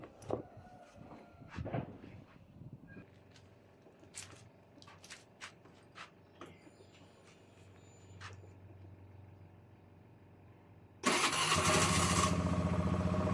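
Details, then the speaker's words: Honda Scoopy i electric start now working after a broken rear brake light switch wire was bypassed with a temporary direct connection: a few quiet clicks, then it starts first try and runs steadily. "ตอนนี้รถคันนี้ก็สามารถสตาร์ทมือได้แล้วนะครับสตาร์ททีเดียวติดเลยนะครับ"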